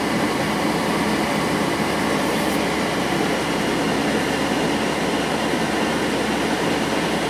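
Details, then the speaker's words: JP Heaters 2kW diesel air heater in a bus, thermostat set to 21 degrees, early warm-up: steady even rush of blown air, only warm so far, no rattles, scrapes or ticking; fan running normally. "the heater itself is blowing out well it's only warm there at the moment but it's still heating up"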